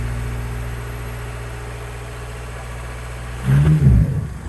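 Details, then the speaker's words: Mk4 Jetta TDI diesel idling after exhaust modification: loud, raw, chuffing low rumble with a couple of blips, little flow from the tailpipe; exhaust leaking at the joints. "all right guys so as you heard it sounds like leaky leaky leak it leaks all over"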